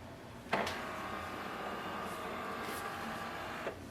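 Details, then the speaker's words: Click, then about three seconds of smooth carriage whirring and a closing click: HP DeskJet 2910 (2900 series all-in-one) finishing its print head alignment normally during initial setup, after installing ink cartridges and loading paper; this sound means alignment is done. "When you hear this sound, that means alignment is done."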